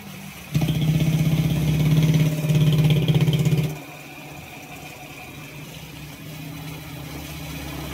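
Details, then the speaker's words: Honda Wave 125 after repair, with the connecting rod and crankshaft replaced, had been very noisy with a grinding sound. It now has an even low putter about three beats a second, a normal quiet idle. "So tahimik naman siya. Ito yung tahimik siya ulang sa menor."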